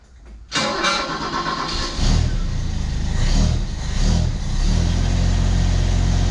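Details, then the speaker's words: 1991 Ford XF Falcon ute recovered from a paddock, with a new muffler fitted: a quick crank, fires and revs lightly, then holds a low, even idle with a soft, muted exhaust note, the quietness credited to the large catalytic converter; it still stumbles slightly. "she's pretty quiet but I didn't necessarily want this one now but I don't think we've got that new muffler to blame for that I think that massive big catalytic converter is probably what we've got to blame for the quietness"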